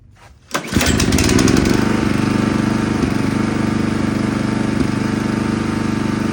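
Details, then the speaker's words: Toro Turfmaster mower after its carburetor was replaced: the pull-start catches at once and settles into an even, steady idle with no stumbling or surging. The faulty carburetor was the cause and the mower now runs normally. "All right, guys. There you go. It was the carburetor. Easy fix."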